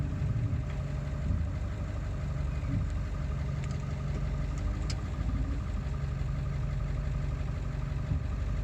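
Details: Ford 7.3 diesel after replacing the ICP sensor, still running poorly: low, uneven chug at idle with slightly irregular firing, no clear knock; rough idle, cause not pinned down.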